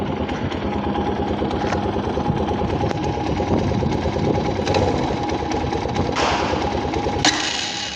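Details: Italika DM 250 motorcycle, about 15 days old, valves already adjusted; fast light mechanical ticking over a steady single-cylinder idle, rate unchanged; engine ticking at idle, source unknown to owner.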